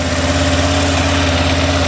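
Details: 2006 Arctic Cat 400 ATV idling after its flywheel rotor was replaced for a no-spark fault. Steady single-cylinder putter with some valvetrain chatter, noisy because the oil was drained, but no misfire or stumble. Runs normally.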